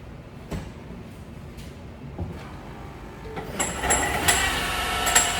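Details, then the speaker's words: 2018 Ford Fusion Hybrid HF35 transmission, towed in, no park, stop-safely warning, no check engine light. Irregular metallic clanks ring like a bell from internal damage; a failed planetary gear is suspected. "Hear that bell? That I've never heard before, but I suspect that is a failed planetary gear."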